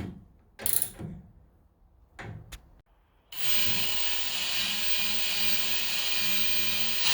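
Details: Nautilus NE3000 elliptical during restoration, after loose rattling parts were tightened: after some handling clatter, a smooth, even whirring hiss with no squeak. Normal quiet running.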